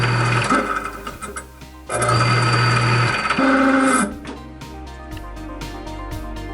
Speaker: Today I'm going to fix my disposal machine. It turns hard and it makes noises.